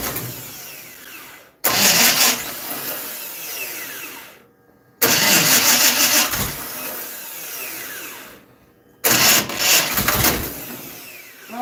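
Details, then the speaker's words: Dirt-track race car, during a timing adjustment: three short, sluggish, hissy cranking bursts with no firing. The starter cranks only about three revolutions, so it won't start. "Your starter don't crank but 3 revolutions."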